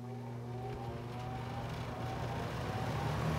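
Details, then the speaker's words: 1973 Lakewood S-23 fan, 2.4 amp motor, very first start on high: motor hum swells and settles as blades spin up, smooth and even with no rattle or scrape; healthy fan with a rather unique startup sound. "there you go. The actual first start."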